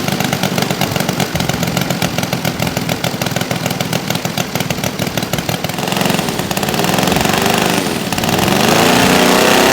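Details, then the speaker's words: Saito FG-60R3 three-cylinder radial engine in an RC T-28 Trojan, ground test, running very rich for break-in; quick, even popping beat, revs climbing into a smoother, steadier note as the mixture comes on: normal running. "there it goes all right man she runs I got to run a bunch of fuel through it to break it in but uh running it super fat cuz that's what they they recommend to start just to help lubricate it"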